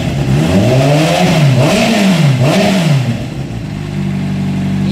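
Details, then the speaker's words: Honda CBR600 with a failing ignition coil, after extra insulating tape was added on the coil; temperatures confirm the dead cylinder is now firing: revs up and down smoothly with no misfire, settles to a steady idle. "ya se escucha estable la motocicleta ya revoluciona bien ya no matraquea pero tuvimos que poner un poco más de cinta de aislar pues a veces Esa es la solución"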